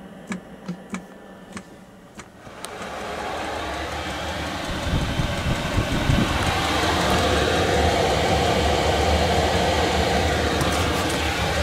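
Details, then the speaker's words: Cheap Chinese diesel parking heater newly installed in a Land Rover: soft pump ticks about twice a second, then the burner catches and builds to a steady, even roar; it lights and gives warm air normally. "it's working man get some warm air can you feel that it's good huh"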